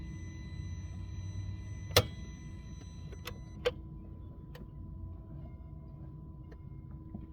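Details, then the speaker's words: Mercedes R230 SL55 AMG won't start, starter battery at 12.4 V; phone near the starter on one side of the engine: turning the key gives one sharp click, then a fainter click after about five seconds, no cranking. "So when you twist the key, it just goes click and then it it holds it for five seconds and then it releases it. So you can hear the click of the starter which is down on this side of the engine."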